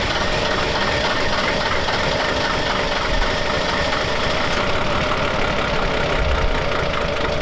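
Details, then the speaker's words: Diesel truck: hard, uneven clatter as the throttle is pumped, harsh irregular knock over a loud roar; running rough, too much pressure suspected, not confirmed. "Doesn't sound very healthy. What is this thing? It's a diesel."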